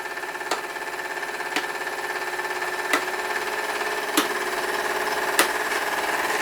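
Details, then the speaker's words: Older steam engine generator rig with LED bulbs on, reading about four volts at around 50 mA: a steady hiss and ringing tone with a knock roughly every second. Engine pitch and speed rise as the load is taken off, which is normal. "can hear the pitch of the engine change as the load is taken off"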